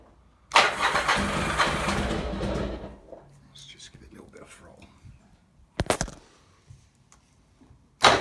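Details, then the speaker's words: Motorcycle idling after an oil change, partly warm, no choke: fires with a loud burst then settles to a quiet, even tick-over without misses or knocks; healthy idle, rides and pulls well. "Somewhere in between hot and cold, but there you hear it ticking over nicely with no choke on it at all. As I say, rides really nicely, pulls strongly, and idles without any problems at all."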